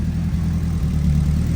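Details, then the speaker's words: Nissan 180SX Type X, long-sitting, after oil filter housing replacement (filter had kept blowing off); small oil puddle found afterward: steady, deep, even idle with smooth low rumble, no knocks or misses; engine sounds healthy. "so it definitely sounds good guys"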